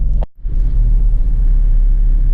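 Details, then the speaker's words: Very cold start at idle, deep uneven low rumble with a lumpy, unsteady beat; rough idle that owner dislikes, later smoother after mass airflow sensor and throttle body cleaning. "if I already tell you right now I don't like the way it's running which isn't a good sign but it's a very cold start"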